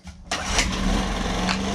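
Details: Homelite HG600 generator with Yamaha engine, restart after fuel pump clean and new gasket set: fires on the first pull and settles straight into a steady, even idle with no misses or hunting; healthy running.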